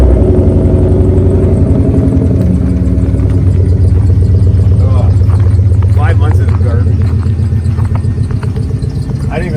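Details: 1955 Chevy with a 4.8L turbo LS, cold in winter snow, after a starter replacement: it fires and idles cleanly with a deep, steady, even V8 rumble, no clicks or misses; normal start and idle.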